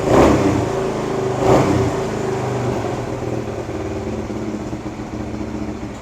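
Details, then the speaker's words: 1978 Kawasaki KL250 single-cylinder, cold start on full choke after cleaning points and setting static timing, new petcock and homemade exhaust fitted: two sharp throttle blips, then steady slightly lumpy idle with crisp exhaust note; revs much better than before, owner thinks points were dirty. "Sounding good. Hasn't warmed up yet, though. But It's revving a lot better than what it did yesterday. I'm thinking the points were just dirty."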